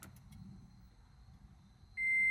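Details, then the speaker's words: Gen 3 Toyota Prius (2010–2015) with dead 12-volt battery, being jump-started from a second vehicle once the negative is connected: quiet cabin, then one steady high beep as power and lights come on; normal ready chime. "You can hear it. You can hear it. Do you hear that? Power, like lights go on. Everything's ready to rock."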